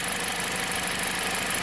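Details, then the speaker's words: 2007 Jeep Compass four-cylinder idle pulses unevenly with a lumpy stumble under hiss as cylinder 1 drops out intermittently; codes P0301, P2302, fault recreated by wiggling harness, coil 1 wire broken in harness. "and so it's hard to get it to act up it's running great right now you would think a broken wire [Applause] would be more obvious"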